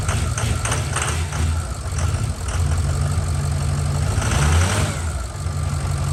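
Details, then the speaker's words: Ford 6.0L Power Stroke diesel after head gasket and head stud job, turbo VGT vanes not actuating; deep diesel clatter at idle with no turbo whistle, vanes stuck open. "now we're just figuring out why the veins are open you guys can kind of hear it"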